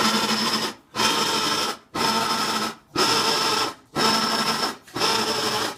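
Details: Whirlpool Cabrio washing machine making a harsh rasping grind in even bursts about once a second, stopping between strokes. The noise has been getting louder over time and the cause is unknown.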